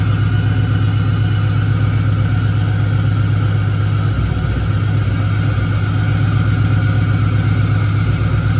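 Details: Engine-swapped Camaro with a 6.0 V8 at its first start after the swap, with the tune still being sorted: a loud, lumpy idle with an uneven thump about four times a second, popping and banging.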